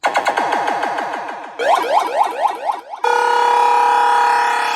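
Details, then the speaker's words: WMS Black Knight pinball sound and speech board, repaired with the blown amp fixed and headers replaced, diagnostic button test: clean sweeping tones, synth notes and speech with no crackle, hum or dropouts. All the proper sounds play. "So, diagnostic button playing all the proper sounds."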